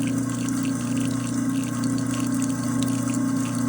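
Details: Garbage disposal running with hot water while a Plink cleaner ball is ground up: steady low motor hum near 200 Hz with rushing water; running normally.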